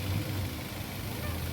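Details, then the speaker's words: Daihatsu Terios petrol engine idles smoothly with an even beat and no misfire, after repair. It had stumbled on pickup and after gear changes and lacked power with no MIL; a scan showed a primary ignition (coil-to-plug) fault code. Fixed, reassembled, ready for test drive. "Ya lanjut kita test drive Karena mesin sudah terasa halus kita akan lakukan tes jalan"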